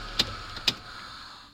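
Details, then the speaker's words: Toyota IAC valve, previously not working: two crisp clicks with brief high buzz over quiet idle, the valve audibly moving freely; a jammed valve makes no such sound. "And I can hear it. We can hear it now. You won't be hearing that when it's jammed."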